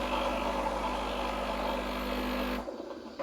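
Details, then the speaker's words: Breville Barista Express BES870, about nine months old, after steaming: steady pump hum with rushing water for about 2.5 s as cold tank water is pushed through the boiler into the drip tray; normal cool-down purge back to coffee mode. "so the way it cools down is it purchase cold water from the tank over the boiler um into the drip tray so your drip pro will get some water obviously from this process"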